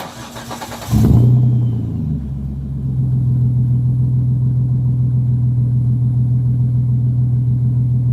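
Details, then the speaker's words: Procharger-supercharged engine with a Jones turbine resonator and no exhaust tip fitted (tip on order): cranks, catches, flares briefly, then settles into a smooth, even idle with some supercharger sound. Clean, normal idle. "You'll hear some supercharger sound in there. You'll hear the Jones turbine, little resonator in there. And that's just, it sounds pretty clean."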